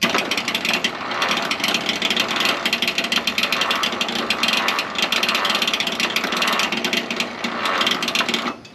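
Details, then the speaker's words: 1929 Ford Model A Doodlebug after years sitting, first crank on 6-volt battery: sluggish, labored, slow uneven cranking, no firing; owner suspects weak battery, later switching to 12-volt battery. "okay well it turns it over that's good uh doesn't turn it over very fast uh I don't know if that's cuz my battery Is Not Great"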